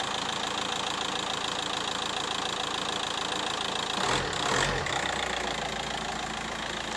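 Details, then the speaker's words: VW Caddy Maxi 1.9 TDI PD diesel after injector seal replacement: even light clatter at steady idle, tick well over a hundred times a minute, normal for pump-injector design; normal idle. "I say it sounds lovely, but honestly, no PD actually sounds lovely."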